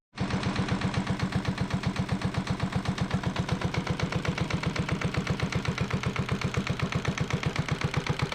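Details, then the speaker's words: Yanmar 1GM single-cylinder marine diesel from a sailboat, on a shop pallet, idling a few minutes while diluted muriatic acid flushes calcified buildup from its cooling passages: steady, even chugging with evenly spaced firing pulses, no knocks or misses; normal idle. "thank goodness that I've got it running um and it's not bouncing around nearly as much as I thought it would"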